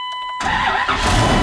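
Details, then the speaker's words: Dodge Ram 2500 V10 with a no-start fixed by replacing a bad crank sensor, first start before refitting the motor mount: brief cranking, catches at once, even steady run; normal start, slight exhaust leak noted. "hell yeah that was our problem the whole time great she's parting like a kitten i love it when a plan comes together don't you all right sounds good it's got a little bit of an exhaust leak but hey what do you expect from a v10 right"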